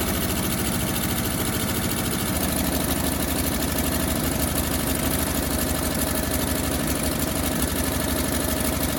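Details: 1957 Bel Air that sat 30 years, running with frozen water pump's belt removed, fairly even with fast sharp puffing tick on the exhaust note; exhaust leak at manifold, owner thinks the exhaust donut is trashed or leaking.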